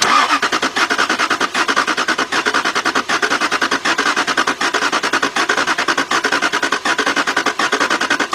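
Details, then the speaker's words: 2003 Jaguar S-Type that surged and stalled while driving, then sat two years and sustained water damage; with the key on and the starter jumped, it cranks steadily for about eight seconds but never catches. Fuel pump circuit code returns; cause unconfirmed. "out well of course it won't start"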